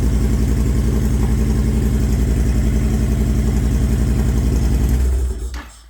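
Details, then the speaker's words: Honda Fury V-twin with a newly installed, untuned Cobra PowrPro Black fuel tuner: a lumpy, burbling exhaust at idle, about four pulses a second. Bubbling suggests excess fuel in the mixture; tuning needed. "Okay, so I can tell right off the get-go that there's already a lot of gas going into the mixture there, because I can just hear the bubbling through the exhaust."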